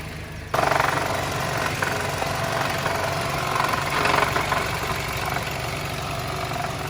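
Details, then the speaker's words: Car that had stalled and would not restart, at rough idle: uneven idle with sharp irregular metallic clinking. Cause not pinned down; the top end showed nothing loose, and a throttle body code was set. "So yeah, that's what it was doing. Not too pleasant, as you can hear."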